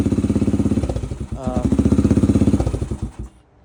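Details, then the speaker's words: 2004 Yamaha TTR 125 after rebuild with replaced bent intake and exhaust valves, warm after riding: even single-cylinder idle thumping about ten beats a second, a quick blip, then shut off; healthy idle. "um but it shifts through all 5 gear smoothly and quickly um idle there steering's tight all that"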